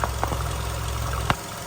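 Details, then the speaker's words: 2008 Volkswagen Golf 5 1.6 MPI, LPG/petrol, 167,000 km, timing belt changed at 126,000, just switched to gas: steady, even quiet idle with no misfire or smoke, a couple of stray clicks nearby. "Мотор працює тихо рівно не троїть не димить компресія"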